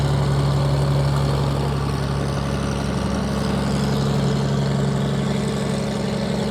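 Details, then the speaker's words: Cessna 421C first flight run-up, 375 hp per engine, new spark plugs, rebuilt magnetos and redone exhaust: steady even propeller drone with smooth beat, no misses; engines running healthy. "oh man that thing sounds good too doesn't it 375 horse per engine"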